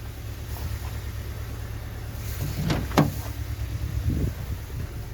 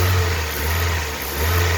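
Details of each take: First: Cold Hyundai i20 mk1 petrol engine at idle runs lumpy with a low uneven rumble, misfiring; lacks power and shows high 7.6 fuel consumption, being diagnosed between spark plugs, coil packs or compression loss. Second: Hyundai i20 mk1 petrol engine after misfire diagnosis and service, revving smoothly and evenly with nice power, no stumble; car now running well, fixed.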